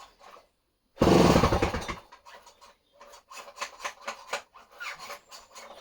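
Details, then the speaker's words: Homelite C51 chainsaw, non-running, fuel added, carburetor needles at base factory settings, spark confirmed: harsh, dry rasp on each starter cord pull, the starter needle bearing needs lubricating. "Right, what happens when we try to run this girl now? Definitely going to need to lube that needle bearing."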